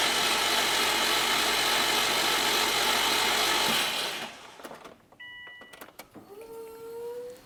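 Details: 2003 Subaru WRX rebuilt engine, freshly filled with 4.5 quarts of Rotella T6, cranked without spark plugs to check for oil leaks: about four seconds of steady, even starter spin with no catches or knocks. Normal cranking.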